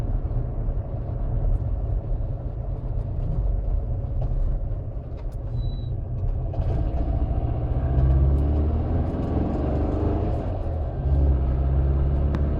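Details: VW 2165cc Type 1 air-cooled engine, dual Dellorto DRLA 40s, electric fuel pump, DTA Fast S40 ECU with crank trigger, CSP Super Comp: deep rumble with a loose, uneven rhythmic noise over it; sudden unidentified noise, valves checked fine.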